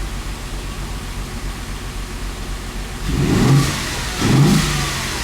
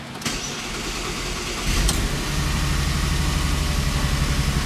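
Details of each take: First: Audi engine just reinstalled after sitting two years, restarted after topping up the oil that ran low pressure on the first start: steady idle with three clean, smooth blips and no knocks or rattles; starts right up and revs nicely. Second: Audi engine started again after a two-year layoff and reinstallation, oil topped to 5 of 8 quarts after low oil pressure on the first try: starter whirrs, then an uneven, lumpy low rumble with a slight wobble; it runs rough, cause unknown.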